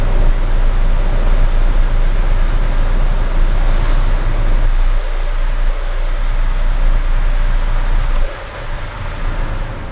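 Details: Citroen C4 Grand Picasso cruising at about 1700 rpm under light load: steady deep 28 Hz droning hum, once per crank revolution, no knocks or ticks, stopping with slightly more or less throttle; dealer calls it normal, cause unknown.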